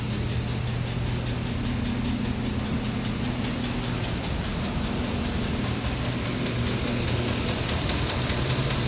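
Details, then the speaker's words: Engine with a knock complaint, warmed up, at idle: the idle hunts up and down instead of holding steady, with a faint dull knock underneath; it has fluctuated a lot ever since it was first started. "It fluctuates a lot. It does. It's been like that ever since I first started it."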